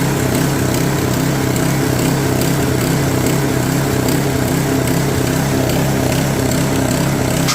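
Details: Customer's snowblower, auger not engaging before; carburetor cleaned for suspected stuck float, drive belt tightened: steady even engine drone with a low hum, no slipping or flutter; runs quite well after belt adjustment, oil change to follow.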